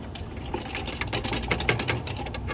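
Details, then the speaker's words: BMW 328i N20 turbo engine running: loose, uneven metallic rattle from play in the turbo wastegate actuator rod linkage; planned fix is a clamp piece holding turbo and rod together to stop movement. "وكاين لو ريست اللي كيجي من لاكتواتور ديال التوربو اللي هو كيدير هذا التسرسير هذا."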